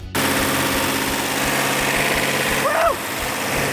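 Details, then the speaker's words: Rebuilt numbers-matching 426 Hemi V8 idling after timing and carburetor adjustment: even, steady idle with a firm regular pulse, no skips or pops, exhaust checked by hand for misfire; all 8 cylinders firing equally, normal idle. "This case, I had a perfect running engine. All 8 cylinders were firing equally."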